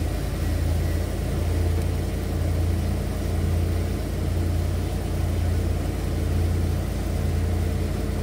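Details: 1991 Ford Econoline E350 dual-tank van after in-place repair of a fuel tank selector valve stuck on rear tank; low, steady idle rumble with slow even pulse, no stumbling; engine runs smoothly.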